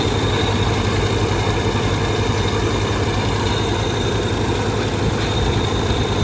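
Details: Ford 2600 tractor after valve adjustment (one previously stuck valve freed): steady even idle, much quieter, light valve-cover tapping, not like before.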